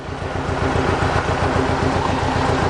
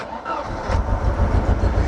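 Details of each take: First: Mercedes 190E 2.0 M102, sat unused for over 3 years, while warming up: smooth, even petrol idle with a steady low beat and no stumbles or misfires. It is running fine, though the engine mounts are said to need replacing. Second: Mercedes 190E, 2.0 M102 engine that sat over three years: catches after half a second and settles into a low, uneven, lumpy idle, engine rocking a lot; cause unclear.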